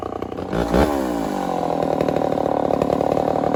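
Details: Homelite 1050 100cc two-stroke chainsaw with 404 chain, first cut in wood: snarls then bogs, revs sagging and uneven under load, sounding starved; owner suspects an air leak, unconfirmed.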